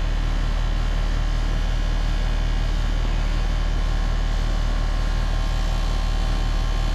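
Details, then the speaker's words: Newly installed Trane/American Standard central AC outdoor unit with about 30 ft of line set; its compressor (Alliance type, which the installer thinks is LG-made) hums with a slight regular pulsing as it comes up to speed, making normal startup noise. "Hear that compressor making a little racket as it's wiring in. That one's got a, this is called an Alliance compressor."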